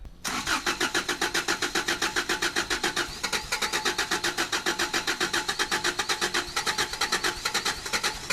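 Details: After installing a new fuel pump and filters on the 4WD vehicle: steady cranking at about four strokes a second for over eight seconds without catching while fuel works up to the engine; it eventually starts.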